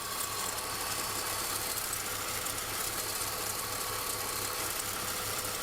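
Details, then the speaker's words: BMW E46 petrol engine idling with a steady high squeal from under the hood; the owner suspects the alternator bearing, on an alternator installed in 2015. "Hello everyone, recently I started to hear some strange squeaking noise from under the hood"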